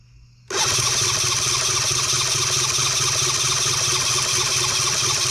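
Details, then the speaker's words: New Cison L4-175 flathead four-cylinder model engine at first start attempt, with 30 weight oil in the crankcase. Steady, hissy, high-pitched cranking never catches; the carburetor seems flooded and is dumping fuel. Cranking without starting. "okay oh god we're just dumping fuel down in here i think i floated the piss out of it"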